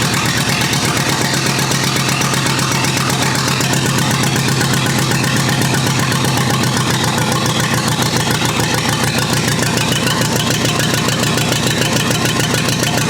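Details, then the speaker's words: Rebuilt U23 engine ("Old Rusty") at its first start after 25 years, running with a steady low chug and even firing, no knocks or rattles; smooth apart from the non-original carburetor, which still needs fuel adjustment. "you've seen that the carburetor had some issues still i still need to make some adjustments on that but we knew that because this is not the original carburetor but for the rest it's it's running smoothly"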